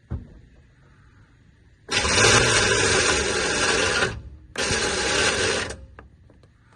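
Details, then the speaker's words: Cheap squarebody Chevy truck with a suspected electrical short: two bursts of high, fast whirring with the engine not turning over; the starter spins freely and only catches right at the end, and the engine is not locked up. "And we know the motor's spinning because you can see it spin. You can see when it starts to catch at the very end. It's not locked up."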